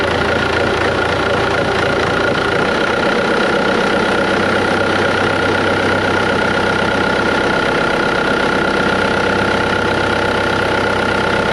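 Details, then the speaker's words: Volvo heavy diesel haul truck idling after new bearings were fitted: steady even rumble with faint whine, no squeaking or clicking; normal after the repair. "all right that sounds way better no squeaking or clicking"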